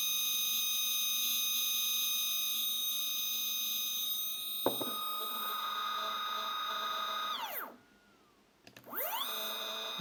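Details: Single 3D printer Z-axis stepper motor at 2 A, feed rate raised to 2000 then 3000, phone on desk: high whine with scattered uneven clicks and buzzing, falling in pitch as it stops and rising as it restarts. Irregular noise followed an earlier stall crash.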